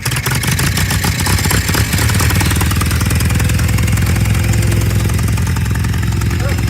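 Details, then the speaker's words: Tractor with brush hog, in neutral with choke out, after revving it while blocking the intake air to clear a carburetor jet clog: steady low chugging idle, even and without stumbles; now running cleanly. "Sounds better. That might have done it."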